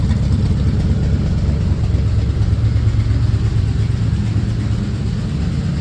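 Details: 1940 Ford Tudor idling after new tailpipes from an eBay kit were fitted along the frame rail: even, steady low burble, no misses or ticks; quieter, fumes no longer coming inside. Normal idle.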